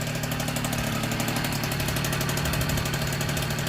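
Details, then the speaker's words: 1964 NSU Quickly S23 3-speed moped, first start after engine rebuild, crank internals oiled so some smoke expected: crisp even two-stroke popping at steady fast idle, no misses or surging; freshly rebuilt engine runs sweetly. "That's a nice start. Very proud of me. This is my first 3-speed engine rebuild. And it's popping like a Swiss."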